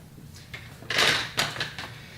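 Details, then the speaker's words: UPWalker walking aid, unboxing setup: rear wheel turned to the backward position gives a few light, sharp plastic clicks over about a second as it snaps in; wheel lock engaged correctly. "as you first use your product you'll turn the wheels in the backward position you'll hear a slight clicking sound which means the wheels are locked in the correct position"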